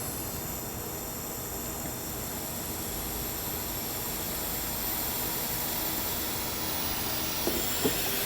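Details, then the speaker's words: 2005 Duramax LLY diesel pickup in a pre-tune inspection, restrictive aftermarket intake: steady, loud hiss of escaping air over the engine running; significant boost leak in the charge air piping, likely more than one. "we have a pretty significant boost leak and you can hear it"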